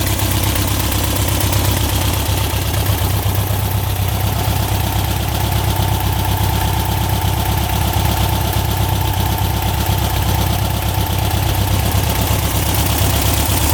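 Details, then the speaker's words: 1967 Volkswagen dune buggy, owner thinks the air-cooled flat-four is about 1300cc and notes it burns oil, restarted after a first ride following a non-running purchase: steady, even putter at idle with no knocks, misses or hunting; idles smoothly, healthy. "let's start back up and see what happens see if she's still lighting good sounds really smooth doesn't it"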